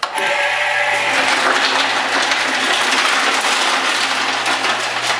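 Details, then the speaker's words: 1977 Chrysler Cordoba fuel tank, long unused, being cleaned in a homemade tumbler machine with 10 to 15 handfuls of sharp landscaping rock, run 8 to 12 hours per side: loud steady rattle of rocks over low motor hum, running normally. "a lot of noise as you can tell I'll tell you why let me turn it off here inside I have a whole bunch of landscaping rock that looks like that good sharp stuff"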